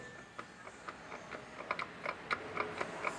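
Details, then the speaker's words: Ford Fusion with FNR5 automatic, vibrating above 100 km/h on the highway with engine and transmission mounts checked OK: rocking the half-shaft by hand gives sharp metallic clicks about four a second, with up-and-down play from a worn inner tripod joint. "verificar que existe sim uma folga. Aí está, pessoal. E essa folga não é para dentro e para fora, tá? É para cima e para baixo."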